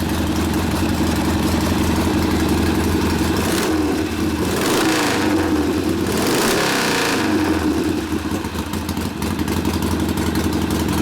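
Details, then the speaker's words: Rebuilt 1972 Harley Sportster XLCH Ironhead after case repair, brand-new rings, starts in four easy kicks: crisp, even V-twin firing through a couple of blips under slight load and back to idle, ignition working well, no misses; normal running. "put a little load on it it's nice and crisp ignition obviously working pretty nice yeah firing nice and crisp starting up easy"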